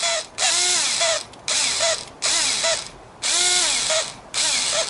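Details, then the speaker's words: Cordless power driver, used as a replacement for an older Black & Decker that made noise: five short runs, each with a rising-then-falling whir and a rattling ratchet-like chatter; owner suspects it is going bad, perhaps a worn gear or bearing. "it's also i don't know it sounds to me like it's a very going bad but i don't know"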